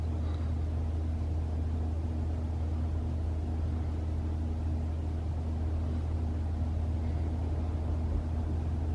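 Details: 2021 Toyota RAV4 Prime SE in EV mode while charging, half-charged battery: even low rumble with steady hum, no rattles or whine; heat pump and fan running normally, infamous heat pump noise absent.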